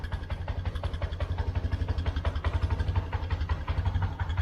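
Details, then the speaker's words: 1999 Yamaha Bear Tracker 250 ATV, cold, after fuel flush and carb cleaning, no choke: small single thumps at idle with wavering beat, sagging and surging, struggling to stay lit; rough idle, owner suspects junk still in carb. "It's having a little hard time. It might still have a little junk in it."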